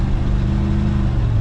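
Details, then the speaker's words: 1990 Chevrolet K2500 after distributor cap and rotor replacement cured misfires, driving at 50 mph on highway, rough exhaust: steady low drone with even pulse, no stumbles or dropouts; no missing, normal cruise. "here we are we're doing 50 almost the speed limit on uh my highway and doesn't sound like it's missing sounds really good"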